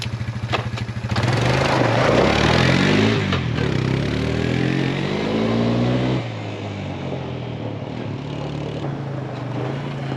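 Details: Suzuki Ozark 250 ATV after carburetor replacement, oil change and tune-up, started with a little choke: single cylinder cranks, catches, revs, then settles to steady even idle with no misses.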